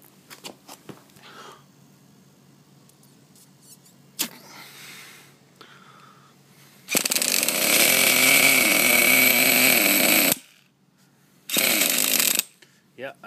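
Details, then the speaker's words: Small two-stroke engine, hot, already purged, being tuned: high-speed screw two and a half turns out, low-speed screw flush. Long quiet spells, then a raspy rev for about three seconds that dies and briefly fires again; a reluctant hot start. "that thing's been on there a while now it should be good and hot but the starter on and push the button oh it is purged already so this shouldn't be an issue"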